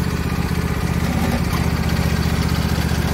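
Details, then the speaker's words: Husqvarna YTH22V46 lawn tractor that stopped moving, after removing a wood chunk wedged in the drive belt pulley: steady, even engine putter at constant speed with no knocks, squeals or grinding; drive quiet and healthy. "oh nice and quiet that's it just a little chunk of wood got wedged in the pulley"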